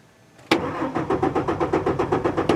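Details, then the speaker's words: 2003 Ford F-150 4.2L V6 with intermittent crank-no-start; key cycled, the rear fuel pump makes a wrong-sounding whine, then steady cranking never catches with no fuel pressure: failed fuel pump, later replaced. "I do hear the pump doing something but it doesn't sound quite right and it's not I know that the pump is getting power because I can hear it doing some kind of whine back there but it's not the right sound I can my ears are telling me that it's not working"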